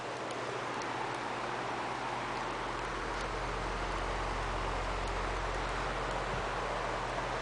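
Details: Lakewood HV-18 box fan (1991–92) after first motor bearing oiling, on low speed: low, even hum with a soft steady air rush and no ticking or rubbing; runs smooth and healthy.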